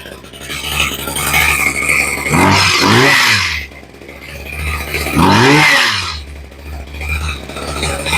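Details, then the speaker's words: Poulan Pro two-stroke hedge trimmer that would not idle, after carburetor rebuild and ultrasonic cleaning: steady buzzing idle between two clean rev-ups rising and falling smoothly without stumbling; normal running. "There you go. Turn off noise cancellation. Sounds pretty good."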